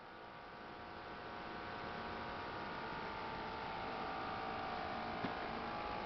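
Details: Xbox 360, three months old, at startup: a constant whirring hum with a few steady tones over a faint hiss throughout; owner finds the noise loud and is unsure whether it is normal; cause unclear.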